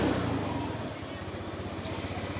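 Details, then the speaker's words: Honda Moove scooter after repair of surging, hesitation and hard starting (fuel pump pressure found dropping fast); now a steady, even idle with a regular firing beat, no stumbling, responding well. "แต่ตอนนี้อาการคือเดินเบานิ่งนะครับเบิ้ลหายแล้วนะครับเออเบิ้ลวอดหายแล้วนะครับก็ตอบสนองดีนะ"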